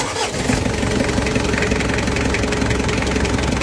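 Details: Mitsubishi L300 diesel after replacing the water pump, whose bearing had failed and rattled: it catches after a brief crank and settles into an even, steady idle with no rumble or squeal; normal idle.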